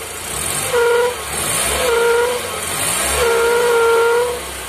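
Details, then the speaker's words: Toyota Corolla Twincam started after nearly four days unused: a thin whistle rising with revs comes from a pinched PCV hose whose rubber has gone brittle; the PCV valve is faulty. "selangit kejepit tetap kalau specnya sudah melepas nanti kita coba cari cara diam sebelum kita cari barangnya"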